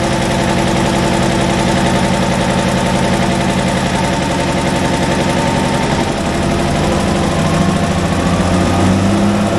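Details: Cold start of an International wheel loader diesel that sat 8 years, after its injection pump rebuild, with a booster for cranking: uneven, lumpy clatter of about three beats a second. Owner suspects poor injectors and off timing.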